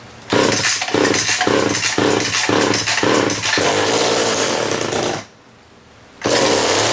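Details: STIHL 015L chainsaw with 1/4 inch pitch chain, cold start on choke: sharp two-stroke buzz pulsing about twice a second as throttle is blipped, then steady high revs; runs cleanly.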